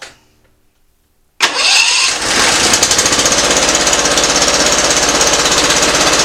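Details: Simplicity ZT2500 zero-turn mower with a Briggs & Stratton Professional Series 724cc 24HP engine starts and runs with an uneven, lumpy beat about three pulses a second; a rough-running engine, suspected cylinder not firing, not yet confirmed.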